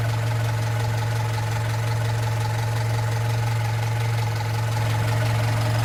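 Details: Opel Rekord P1 long-version engine at steady idle: loose, fairly regular clacking roughly three per second; source unclear.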